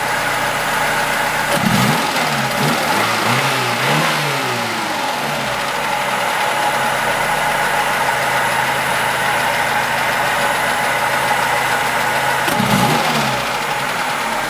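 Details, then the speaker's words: Lada Niva 21213 carbureted, cold engine; quick rev blip settles into steady, even idle with no tapping or clicking; smokes; alternator belt was loose; normal idle. "Ну вроде так сейчас даже не щёлкает ничего так ровненько работает"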